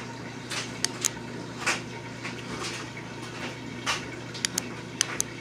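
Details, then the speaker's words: BMW 750i transmission mechatronic removed, its relay/solenoid bench-tested by applying battery power: crisp short clicks, some in quick pairs, each time power is applied; solenoid switching and moving as it should. "But besides the click, you gotta see inside, and it's supposed to have supposed to move just a bit."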